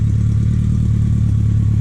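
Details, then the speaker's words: BMW K100 cafe racer build, first start after troubleshooting a no-start with temporary fuel setup; deep, even burble at idle with steady firing pulses, no misses or clatter; sounds mean; normal idle. "but that sounds mean."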